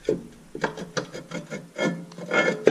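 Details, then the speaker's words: Rear hub on a 2013 AWD Nissan Pathfinder SL, rotor turned by hand after hub replacement: short, soft scraping rubs with each turn, the normal light drag of a correctly adjusted parking brake shoe. "want you want it to have a little bit of drag when you're putting it on and off and it's it's perfectly adjusted right now"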